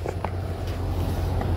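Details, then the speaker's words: Off-grid solar-powered mini-split heat pump outdoor unit in winter, heating a garage to 66°F after a cold start at 14°F: fan spinning again as indoor unit resumes blowing hot air; steady low hum, even whoosh, no rattles, normal running. "we're about 10 minutes later and i noticed that the inside started blowing out hot air again so i came outside and the fan is spinning once more"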